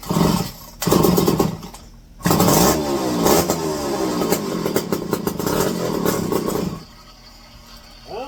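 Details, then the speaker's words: McCulloch 510E electric-start chainsaw revived from locked-up, with modified dual stock carb and new filters: fires in short bursts, then holds a sharp revving buzz for several seconds before dropping off; starts and runs normally. "it's actually quite sharp that's not bad"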